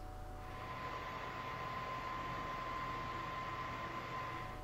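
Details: PS4 Pro early model after replacing the stock fan with an aftermarket fan: soft steady airy whoosh with faint thin tone, no rattle or roar; fan now quiet and healthy.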